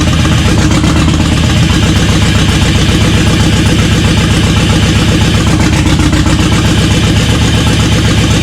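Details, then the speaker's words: LS-swapped GMC K10 truck, not firing on cylinders 2, 3, 5, 8; loud uneven lumpy V8 idle dipping toward bog, like limp mode; owners doubt a plug causes it and suspect TPS or MAP sensor. "but that plug wouldn't make it bog like that yeah that's nice that's like a TPS or map sensor"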